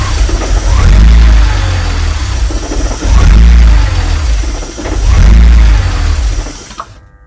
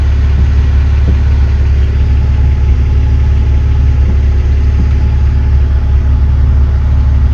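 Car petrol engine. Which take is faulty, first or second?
first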